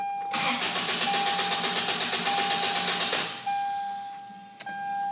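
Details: First-generation Toyota Tacoma inline-four, started after starter and fuel filter replacement: the starter cranks in even pulses about four a second for three seconds, then the engine catches and settles into a smooth idle; a healthy start.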